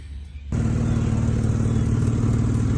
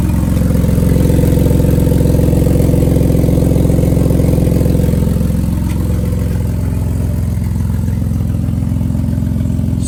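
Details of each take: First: Jeep Liberty winter beater with its exhaust leak wrapped in exhaust tape, left idling for about 20 minutes. Steady low idle with an even exhaust note and no sharp puffing, much quieter after the tape repair. Normal idle. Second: Jeep Liberty petrol engine at idle before a cheap exhaust-tape repair: a loud, deep rumble with a raspy, puffing edge from an exhaust leak.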